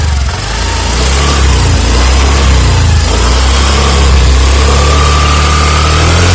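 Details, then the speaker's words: Honda Activa 6G BS-6 scooter, 109.51cc air-cooled PFI engine with CVT, started for a sound check: it catches quickly, settles to a steady buzzing idle, then revs with a clean rising tone, though the owner feels pickup is slow. "So engine మాత్రం Honda వారికి అయితే చాలా చాలా స్మూత్గా ఉంటుంది."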